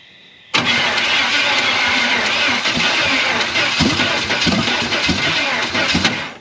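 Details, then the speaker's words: Chevy 350 V8 in a 4x4 Ford Ranchero, sat torn apart for 30+ years, rebuilt with flat head gaskets and run on open headers: it fires straight up into a loud, even rumble with good oil pressure. It sounds healthy, though a knock could be masked by the exhaust. "30 plus years this thing has sat torn apart an absolute disaster an absolute disaster of a 350 and it actually runs pretty darn good it sounds good it sounds healthy it's got awesome oil pressure"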